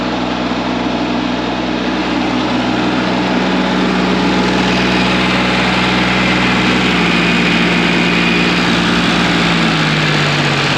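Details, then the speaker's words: Cat 302.5 mini excavator diesel after repair at idle: steady low drone, substantially quieter, no bag-of-bolts rattle as before; runs smooth and healthy. "it's substantially quieter now and we're gonna start it up in a few minutes here and uh you'll hear it it's it's quieter it also doesn't sound like a bag of bolts is rattling around it"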